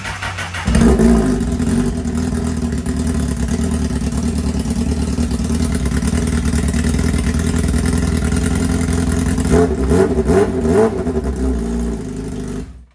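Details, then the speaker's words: Honda CBR liter sportbike project with key switch delete fitted and no exhaust installed; loud raw uneven open-header bark with throttle blips near the end, runs but sounds rough due to missing exhaust. "runs, boys. I mean, sounds like crap because we ain't got no exhaust on there, but just a step in the right direction."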